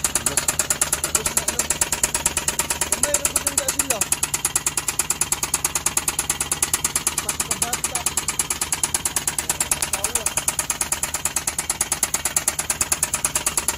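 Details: Knock on a K6a engine, sharp and very regular at about three times a second over the running engine, from piston and cylinder liner damage.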